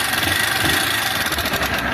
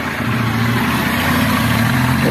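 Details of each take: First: 160 cc motorcycle engine at idle: fast, thin, light metallic rattle without a heavy knock, diagnosed as a worn cylinder kit (cylinder and piston), rocker arms possibly worn too, rather than the connecting rod. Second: 160 cc motorcycle that had a thin engine noise blamed on the cylinder kit, running while leaking oil: even, steady single-cylinder idle with no knocking or ticking; normal idle, noise gone.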